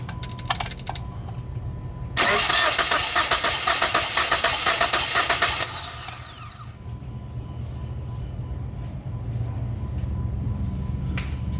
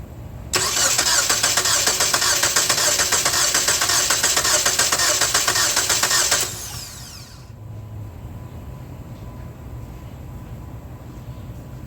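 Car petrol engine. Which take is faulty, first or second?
second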